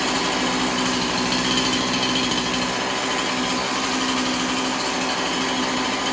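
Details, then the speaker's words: Chainsaw after cleaning the scored cylinder and fitting a new piston and ring, idle raised slightly: fast, even two-stroke patter holding steady with no misses, surging or knock; sounds pretty healthy. "there we go sounds pretty healthy"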